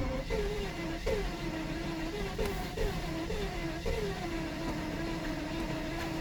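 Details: 1992 Mercedes 600SEL: starter cranks steadily with a repeating rise-and-fall tone about once a second, but the engine never catches; crank, no start, owner suspects lack of ignition.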